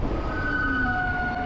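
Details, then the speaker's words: E-bike rear disc brake, rear rotor still stock while front was upgraded from 180mm to 203mm. Two steady high-pitched squealing tones hold through the stop over a low rumble. Rear disc brake squeal; owner plans a 203mm rear rotor. "still got some noise but you know what it's for the braking power too I feel like the brakes are a lot better all right so it's not as annoyingly loud"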